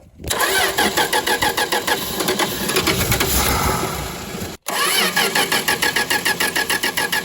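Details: 1962 Dodge Lancer after carb overhaul, accelerator pump still only trickling, leaking throttle shaft: engine catches and runs unevenly, stumbles and cuts out, catches again roughly and won't stay running, heavy sooty exhaust; owner suspects a stuck heat riser valve, unconfirmed.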